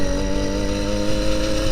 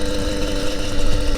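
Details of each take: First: Motorized bicycle two-stroke engine after service and cutting the exhaust pipe baffle: steady even buzz at one pitch, crisp but moderate exhaust note, nicer sound and not too loud; normal exhaust note. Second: Motorized bicycle two-stroke, new B5HS plug, cleaned carburetor, adjusted needle: uneven buzzing that stumbles and cuts out once speed builds; misfire at speed, owner suspects clogged exhaust.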